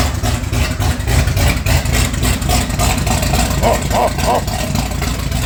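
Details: Ford Bronco, former race truck, started to move it out of the garage: engine catches and idles unevenly with an irregular lumpy beat and a soggy note, sounding like it's loading up. Cause unconfirmed.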